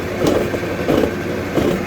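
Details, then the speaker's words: Toyota 4Runner with wheels spun up on a lift: a low, rough growl swelling and fading about every two-thirds of a second from the right rear outer axle bearing; the differential and pinion sound normal; axle bearing growl. "That's all coming from the right axle bearing in the rear."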